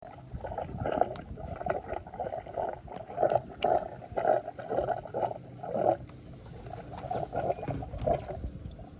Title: toyota echo gas tank gurgling noise